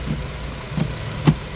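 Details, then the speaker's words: 2014 Infiniti Q50 3.5 V6 VVEL with P0340, camshaft sensor replaced, one ignition coil left out: low uneven idle with irregular thumps roughly every half second, shaking from the dead cylinder; cam timing suspected. "the car is running like shaking because one coil is not missing"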